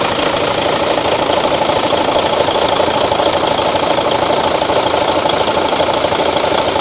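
Steady dense diesel clatter at idle, even and unchanging with no irregular knocks or misses; truck engine idling normally.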